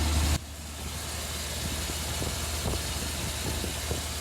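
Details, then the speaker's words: Orange Suburban after a third attempt at fixing a leaky exhaust: even, low, steady idle with no puffing or ticking from the manifold; exhaust now sealed, engine sounds healthy. "got it it's been a long time since it's been quiet that's nice been a few months"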